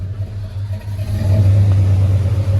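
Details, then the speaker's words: Freshly rebuilt V8 in a squarebody K20 with Sniper fuel injection, warm not cold start: deep rumble stumbles briefly before revs pick up, hesitation on rev; owner suspects Sniper still learning. "full disclosure i have been driving her so she's warm this is not a cold start so you can hear a little bit of that hesitation when i rev the motor"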